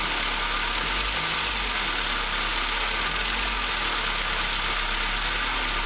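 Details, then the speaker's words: 2006 Ford Focus at startup idle: rough grumbling growl with no clean rhythm, blamed on worn motor mounts, which were replaced; owner says the growl partly fades once warm and it runs rougher at start. "Another thing with motor mounts you'll hear is, while you're going to start it up, you hear a lot of grumbling, growling from the motor."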